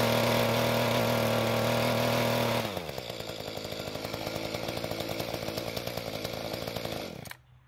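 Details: Mantis tiller small two-stroke, after L screw turned half a turn counterclockwise and carburetor adjustment, digging hard dry dirt: drops from a high steady rev into an even rhythmic chug of about four beats a second, then cuts; works well under load.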